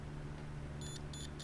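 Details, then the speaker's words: Multimeter continuity tester on a beginner soldering kit: three short high beeps evenly spaced about a third of a second apart over low room hum, leads pressed together; tester working normally. "So mostly I'm just gonna use this, the continuity meter. So if you press the leads together, it creates a beep."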